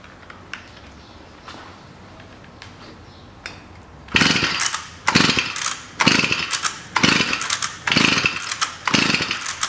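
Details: Stihl FS 55 two-stroke trimmer that was mown with, switched off, then would not start next day: spark present, plug flooded, suspected too much oil in fuel mix; short ragged bursts about once a second as cord is pulled, catching briefly but not running.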